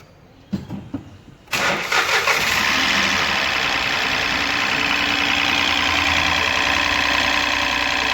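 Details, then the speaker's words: 2018 Ford EcoSport 1.5 three-cylinder Dragon engine, wrong oil change: starts into a steady idle with quick light ticking from the top end at the intake camshaft, intake cam solenoid clogged with debris. "é o barulho pessoal está fazendo um barulho proveniente da parte de cima do motor aqui ó mais precisamente neste comando aqui comando de admissão"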